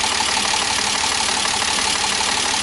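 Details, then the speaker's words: BMW E46 M54 inline-six idling after oil pump nut fix and oil pan gasket replacement: sharp, steady ticking over harsh top-end clatter, felt at the spark plug, heavier than a regular lifter tick; repair didn't cure it, cause unknown. "Still got a gnarly tick right here. You can feel it in the spark plug."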